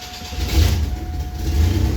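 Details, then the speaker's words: Engine with low fuel pressure (needs about 59-60 psi to start): engine catches on starting fluid, runs roughly and labouring for a moment, then stalls; spark present, fuel starvation. "So if it starts and runs and stalls, we've got a fueling issue, and these are super sensitive to fuel pressure."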